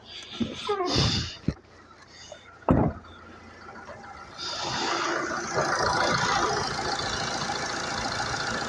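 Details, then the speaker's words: Mercedes Sprinter 311 LWB, 57 plate, 247,000 on the clock, after the black death injector fix and new glow plugs: it settles into a steady, even idle with no knocks or misses, glow plug light off. Normal idle. "Grand she's running nice running like a dream and the glow plug lights gone off Victory winning"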